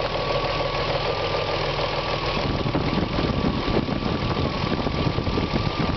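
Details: BMW E36 M3 S50B30 inline-six idles, then a light blip brings a mechanical rattle over the engine hum that follows revs; owner asks whether VANOS or timing chain is the cause, unconfirmed.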